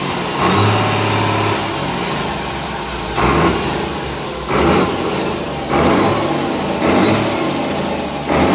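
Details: Komatsu S6D125 six-cylinder diesel test-run after general overhaul for engine noise, broken piston 5 and spun conrod 4 bearing: settles into a steady, even run between repeated throttle blips, revving cleanly each time; normal running.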